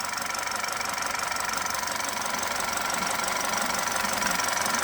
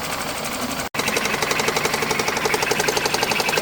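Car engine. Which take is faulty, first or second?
second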